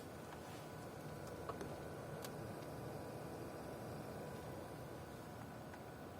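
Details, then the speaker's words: Deepcool LT720 liquid CPU cooler pump after disassembly and refilling to fix crackling noise, first run as air purges: quiet even hiss with faint steady high tone, no whine, rattle or grinding; pump running normally after repair. "как можете слышать помпа уже не даёт характер звуков и с каждой секунды становится всё тише и тише"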